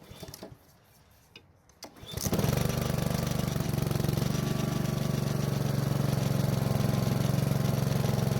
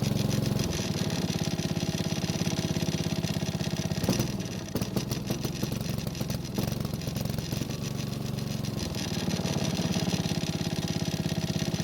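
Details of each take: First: Honda lawn mower that started but smoked, ran poorly and lacked power, after fixing fouled spark plug, old gas and dirty air filter (old filter reused); fires and holds a steady, even, strong run with no misses or surging; normal running. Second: Honda push mower that ran fine last year starts only after several pulls and runs rough, blowing black smoke, even when throttle is adjusted; suspected too much fuel from a dirty air filter, not confirmed.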